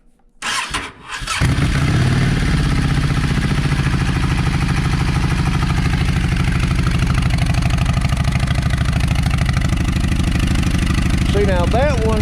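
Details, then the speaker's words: Yamaha V Star 650 V-twin: after cranking, lumpy, uneven loping idle; front cylinder not firing at idle while rear runs; owner suspects clogged idle jet in front carburetor. "It's not idling. uh on the front cylinder where it's idling on the rear and what I have run into before was run it was not running on the rear but was running on the front and I feel like that the uh the idle jet is clogged up in t"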